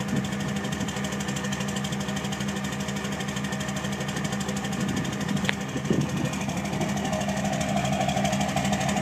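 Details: 2006 Cummins diesel at idle: diesel clatter with an uneven pulse, roughly three beats a second wandering in strength; rough idle.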